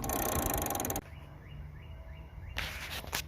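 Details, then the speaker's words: Toro Recycler 22 mower after a new drive cable was installed, front wheel spun by hand: a light, even clicking at about three to four per second. Normal front wheel drive ratchet click. "when you spin the front wheel like this you should hear it click so that tells you you got a good front wheel"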